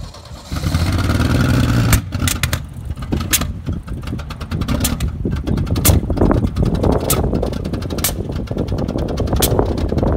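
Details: Ford XR Falcon ute, last registered 1982, after long paddock storage, now driving: uneven chuffing beat about three a second, lumpy with irregular pops; running rough, cause not confirmed.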